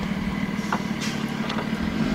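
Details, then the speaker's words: 2007 Nissan Altima no-start, during serpentine belt job: starter spins engine fast and light with an even whirr, none of the usual compression chugs; sounds like no compression, cause suspected, not confirmed; oil found very low. "it sounded like we wanted to start at first but it sound like really loud the sound has got no compression"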